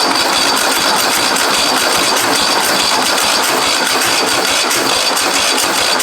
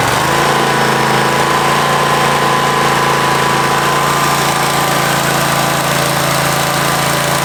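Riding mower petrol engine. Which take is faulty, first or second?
first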